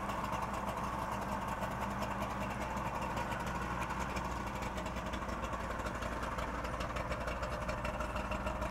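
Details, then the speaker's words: 1964 DKW Deluxe Junior F12 three-cylinder two-stroke with oil injection plus premix in the gas: soft, busy, even ring-ding idle burble with no knocks or misses; healthy idle. "I love the way it sounds. Sounds like a little snowmobile."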